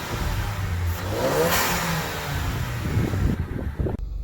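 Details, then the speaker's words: 2014 Range Rover Evoque Dynamic turbo, nearly at operating temperature after new cast-iron exhaust manifold, open air intake: engine blips up and settles smoothly with faint rising turbo whistle over the rev; healthy. "I can hear what that open air intake sounds like you actually hear the turbo whistle and a little blah it's kind of nice"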